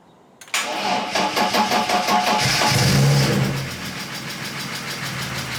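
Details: BMW E36 328i Compact just fitted with a new alternator, started using a portable jump starter: brief crank, the six catches cleanly, flares up, then settles to a smooth, steady idle with no squeal or knock; healthy.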